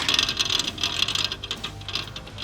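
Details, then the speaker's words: Hemi-swapped Jeep Wrangler JL cooling fan removed and spun by hand; dry, scratchy rasp with quick uneven ticking; motor bearing worn and binding, fan had completely seized in Dallas and was forced free but expected to seize again. "i i don't think supposed to be making that noise no so it's completely froze up in dallas"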